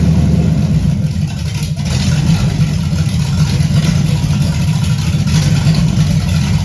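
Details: 1978 Camaro, 383 stroker with Vortec heads, first start-up: deep, steady V8 idle with a slight lope and even firing, no knocks or ticks; seemingly a mild cam, not high compression, owner hopes about 325 hp; normal healthy idle.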